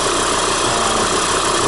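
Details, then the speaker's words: 2014 Volvo XC70, about 150,000 km, idling: steady busy whirring rattle from the drive belt area, also present when driving; caused by faulty belt tensioner, alternator overrunning clutch also seized; noise gone after replacing both and belt. "приехала жалобой посторонний звук в районе приводного ремня сейчас покажу неисправность как она проявляется для этого запустим мотор"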